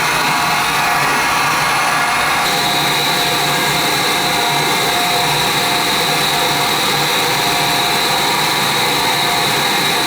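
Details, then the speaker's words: Oil-fired boiler burner that wouldn't fire up: harsh high steady whir with rough edge as it tries to light; technician says pump could be bad but suspects worn burner motor lagging, not spinning up enough. "could be the pumps bad but sure sounds like the motor we've gone walking on us let's see if it fires up could be that mold is just not spinning up enough"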